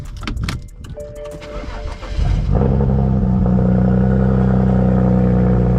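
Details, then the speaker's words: BMW 335i N54 single-turbo: starter churns a couple of seconds before the engine catches and settles into a steady idle; extended crank, owner suspects the crankshaft position sensor, unconfirmed. "it took a little minute for it to register and that's why I think it's sensor related"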